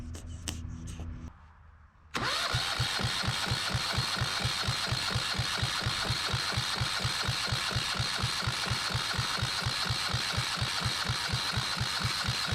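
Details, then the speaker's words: Yanmar 1GM single-cylinder marine diesel from a sailboat: starter turns it in steady chugs about two per second for ten seconds, never fires; cranks, no start; owner then checks whether fuel reaches the injector. "kind of a bummer it's not starting okay what we're trying to do is we're trying to see if there's any fluid coming out here through the injector"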